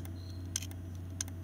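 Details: HP P2-1317cb desktop showing "no boot disk detected" during a BIOS hard disk quick check. Two sharp clicks about two-thirds of a second apart over a steady low hum; the drive heads are clicking, indicating a failing hard drive.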